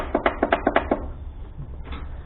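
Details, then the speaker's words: Husqvarna riding tractor stored all winter, jump box connected: about seven quick sharp clicks then silence, no cranking; starter not turning, owner suspects solenoid. "so i figure out why the starter is not turning and maybe give a love tap or jump solenoids or something"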